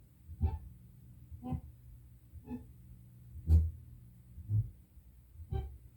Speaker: Uh I would say it is a defect in bulk erasing the tape. Usually people call it spokes. You see it happens once every revolution of the tape.